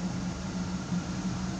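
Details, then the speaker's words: 1972 Pontiac Firebird Trans Am V8 after cooling air pocket cleared: low, smooth burble with gentle steady lope, no ticks or misfires; owner thinks idle is a little low and might raise it. Normal idle. "I think my idle's a little low yet but I kind of like [Music] it I kind of like that I might bring it up a [Music] little"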